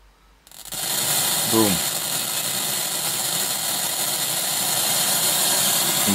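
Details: TC Electronic Fireworx effects unit with nothing connected: right after switch-on, a loud, steady hiss fills the output; noise with no input, cause unknown, a ground issue or the AK5392 ADC suspected.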